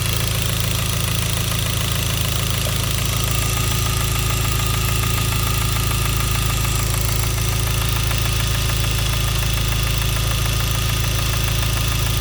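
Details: Hyundai Genesis 2.0T at idle: steady, evenly spaced deep rod knock a little over twice per second from a spun bearing, caused by a faulty oil pump; no oil pressure warning or limp mode occurred.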